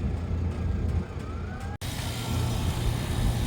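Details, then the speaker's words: AC condensing unit after installing a universal Turbo 200 dual capacitor, power switched on: steady low hum and fan rush come up and settle into an even run, no buzzing or clatter; condenser fan starts right away and compressor runs, running normally. "well I ended up turning on power uh condensing fart kicked on right away which is a good sign compressor I can hear it running"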